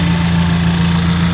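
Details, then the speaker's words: Totaled Honda Civic Type R being revived, engine just started: smooth steady idle with firm low hum and no fan whoosh; radiator fans not yet on. "not on yet, maybe because the car is still warming up."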